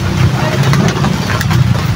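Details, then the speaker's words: Water pump motor running before bearing replacement, very noisy and loud: steady motor hum with a rough, gritty rumble riding on it; worn motor bearing, to be replaced along with the broken impeller. "Pero sa actual mga idol napakaingay dito napaka ah lakas ng andar nito."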